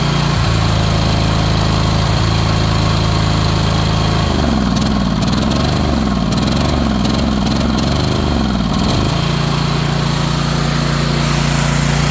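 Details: Ariens Apex mower with Kohler 7000 series twin, 238–239 hours, oil checked: uneven lumpy, wavering beat; one cylinder apparently not firing, not confirmed.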